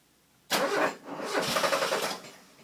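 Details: Mazda 323 GTX after timing (TDC) work: starter whirs with a quick even churning rhythm for about two seconds, then stops without the engine catching; cranks but won't start, cause unconfirmed.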